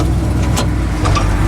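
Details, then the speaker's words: Jeep CJ7 Scrambler with NV4500 and Atlas 2 transfer case, test drive after rear drive shaft double cardan joint repair: steady low road rumble with no clunks or vibration knocks; mystery noise gone, driveline healthy. "That's why you always double check. Yep. Noise is gone. It's the rear drive shaft."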